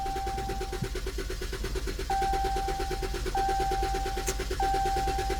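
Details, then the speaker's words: Dodge Challenger that stopped while driving: steady starter churn about six beats a second for several seconds with repeating dash chime, never catching; long crank, no start, suspected lack of fuel pressure from fuel pump, not confirmed. "All right, so y'all saw that long crank time, ladies and gentlemen. That sounds like a lack of fuel presence."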